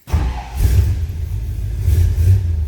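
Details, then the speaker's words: 1957 Ford Fairlane Ranch Wagon start: engine catches almost instantly, flares briefly, then settles into a deep, even rumble; easy, healthy start. "easy starting vehicle starts easily again here"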